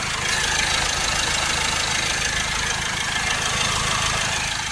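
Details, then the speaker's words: Land Rover 2.0 diesel with AdBlue/NOx exceedance codes, idling and heard under the wheel arch: a dry scraping grind over the diesel clatter; a crank bearing was blamed, but an alternator or AC pump is suspected and the cause is unconfirmed. "you can hear it under the arch sort of like a scraping grinding noise like a dry grinder noise that to me sounds like an alternator or maybe AC pump grinding"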